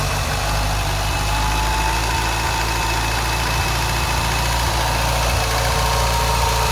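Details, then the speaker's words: 2000 Ford Fiesta MK4, 1.3L 60hp Endura, with the throttle position sensor unplugged. Idle is steady and even with no hunting but sits a bit too high. "Et si j'enlève le capteur du boîtier papillon là, elles veulent prendre un peu de régime et le ralenti, il est bon mais un peu trop haut."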